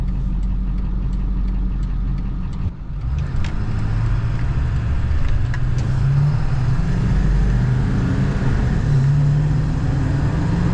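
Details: Ford F250 7.3 Powerstroke diesel on the highway at about 58 mph after injector replacement, pressure around 2800 psi, oil and trans temps good: steady, even low diesel drone with road rumble, no knocks or misses; healthy.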